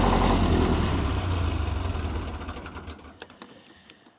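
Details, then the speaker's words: Military diesel generator running: steady thrum with a light, fairly even rattle on top; owner suspects fan bearings, unconfirmed. "right was anyone able to hear that like rattling sound is that bearings maybe in the fan or something"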